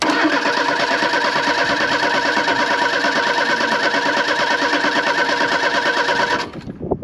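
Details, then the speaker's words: 1983 Ford Thunderbird Turbo Coupe, 2.3 L turbo, unrun for 20 years, in neutral: quick, even cranking for about six seconds that never catches; no fuel pressure, fuel pump suspected as a culprit. "all right so i cranked it over there was no fuel pressure so i think obviously a fuel pump is our one of our culprits"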